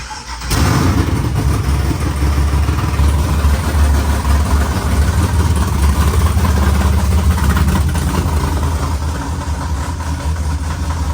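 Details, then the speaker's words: LS-swapped 4x4 Cadillac burnout car restarted after swapping two backwards-plugged coil wires: catches at once and settles into a deep, steady V8 idle with even lumpy pulses, no misses; runs clean, though alternator not charging and engine moving a lot (transmission crossmember bolts missing). "it sounds really really nice love to see you can't ask for much more than that"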